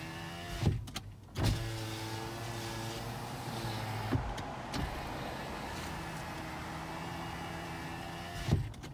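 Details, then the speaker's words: 2010 Toyota RAV4 driver's window after silicone grease on the rubber: steady, even motor hum through its travel, clean thud at each stop; much faster than before, normal power window operation. "All right, let's do it one more time. Go up and down. Wow, much faster. Much faster. Much faster."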